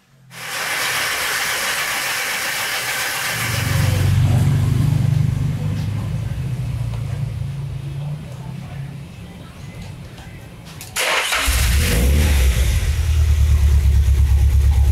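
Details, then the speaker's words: Nissan Silvia S14 SR20DET after fitting a rebuilt Garrett T28 ball-bearing turbo and coil-on-plug conversion, cold at 33 °C: catches and settles to a fast, steady idle of 1400–1500 rpm; high cold idle. "sekarang udah bisa idle. Walaupun ini masih dingin, masih temperaturnya masih 33 derajat. Idle-nya juga masih tinggi 1500, 1400."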